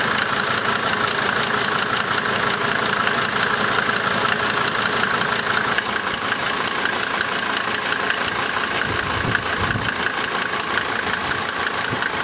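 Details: Rough idle on a 1990 Mercedes-Benz 300D 2.5 turbo diesel: loping, knocky beat around three per second with occasional stumbles.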